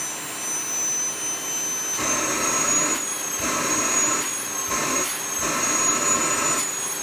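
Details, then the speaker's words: Healthy motor run of a new, old-stock Gold-tec 1600W vacuum cleaner at first power-on, with the hose attached, plugged into an energy monitor, not vacuuming. A steady high-pitched whine with even airflow rush that rises and eases with the power setting. "However, I am going to plug it in just to make sure it works and just so you can hear what it sounds like."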